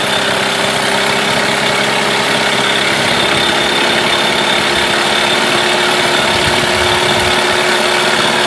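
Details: Mercury 8HP two-stroke outboard, sat unused for an unknown time, running in a water tub; a steady, bright, even drone with no misses or knocks, holding a smooth idle; normal running.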